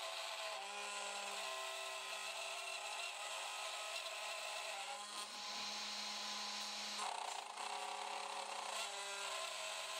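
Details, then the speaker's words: G0836 CNC mill cutting aluminum (knob for Sieg X2.7 gib lock), no finishing pass: harsh, scratchy cut with ringing high tones and uneven chatter. Rough milling cut. "That doesn't sound good, does it? Probably should have done a finishing pass."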